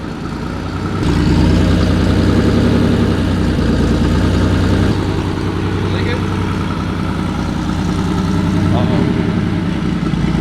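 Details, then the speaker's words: Porsche 964 flat-six at its first start-up after a rebuild: loud, even idle with a steady throb and open-intake rasp; engine sounds good, only the exhaust is too loud. "the engine sounds good too like everything sounds good then the exhaust is just too loud that's so good"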